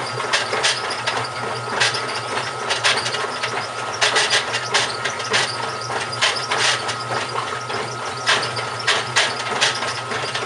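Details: GE washing machine, model WHDSR315DWW, bought 9/30/06, running: thin steady tone with rough grinding bursts, one or two per second; drive grinding, owner suspects the transmission is going bad, unconfirmed.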